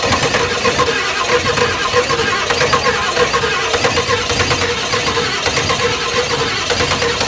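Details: Ford 7.3 IDI diesel, first start after top-end rebuild and 11 years sitting, on ether and a jerry can fuel supply: slow uneven chugging with rough hissy background, labouring to catch and keep running; hard start.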